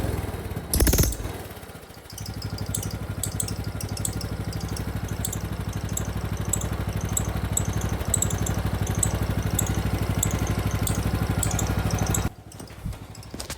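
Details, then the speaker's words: Craftsman riding lawnmower engine after valve lash reset for no compression: idles with thin high squeak about every half second, seemingly from valve train; someone suggests clogged oil filter starving lubrication, unconfirmed. "Well, that's not good. Yeah, I don't like that squeak. Seems to be coming from the valve train."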